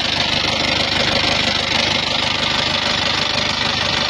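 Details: Isuzu Panther Touring diesel at idle, arrived with rough engine, oil leaks and thin smoke when hot: harsh idle with quick uneven tick about three per second over diesel clatter; rough idle with ticking.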